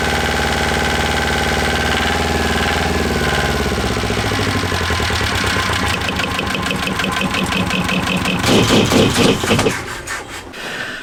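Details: Small Volvo marine diesel in sailboat, after clearing sea-debris-clogged cooling passage: fires up and settles into an even, steady beat, no knocking or misfire; cooling better, runs healthy.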